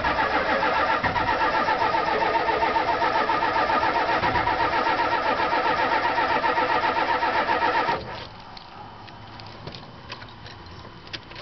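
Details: Ford F-350 diesel on a 60-degree day: steady starter churning about four cranks a second for eight seconds before it finally catches, shows smoke; hard start.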